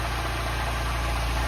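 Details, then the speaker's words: Mini JCW Coupe after its cylinder head was reconditioned and refitted, first start with the car partly reassembled: engine catches and settles into a steady, even low hum with no knocks or misses; running fine. "so let's give it a go Jake that sounds that sounds alright"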